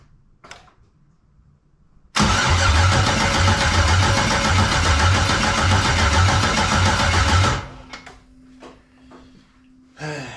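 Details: 1999 Firebird with an LS LM4 swap on a makeshift fuel system: steady cranking at about four beats a second, never catches. Ignition, ground, spark and injector pulse (noid light) all confirmed, yet it still won't start.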